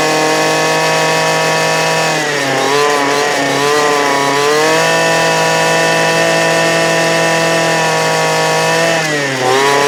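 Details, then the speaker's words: 2008 Poulan Pro PP25E 25cc straight-shaft trimmer, abused, with misrouted fuel lines and a clogged carb screen, running again: high two-stroke buzz holds steady, dips twice as throttle eases, then picks up; smoking off garbage, still needs carb adjustment. "here we go it's a runner this need an adjustment which I figured it would because of the settlement you seen but uh you see it's burning all the garbage off"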